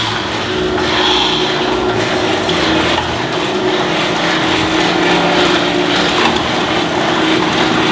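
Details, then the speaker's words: Garage door travelling with a steady rumbling rattle and a faint squeaky edge, from dry metal rollers on each side needing lubrication. "if you listen closely you can hear the noise of the Royal romantic there's an easy pitch written this is metal mover can we use it is up 45 it is low in order excellent rest prevention and optical lubrication"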